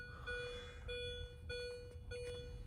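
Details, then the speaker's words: 2005 Mini Cooper S R53, 132,963 miles, no-crank, with the EWS3 module unplugged for a bypass test and the key out. A clean, steady beep about every 0.6 seconds; cause unclear, possibly lights on or the disconnected EWS. "I don't know if that means the lights are on or it doesn't like something. Not sure why this is beeping right now."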